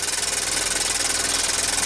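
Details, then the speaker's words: Childhood Meccano toy steam engine run in reverse gear, first firing in years with a steam leak at the top not yet fixed. Quick, even chuffing with a hissy top end and steady beat; runs smoothly. "But it's amazing. It runs. It's got reverse gear as well, so I'll put it in reverse. See, it runs in reverse."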